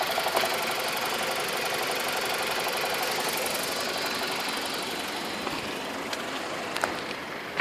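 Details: 2002 BMW 318i (N42 engine), 128,000 km, just bought: light, fast metallic rattle about four a second over a low, uneven idle; idle revs too low, source of the engine rattle unclear.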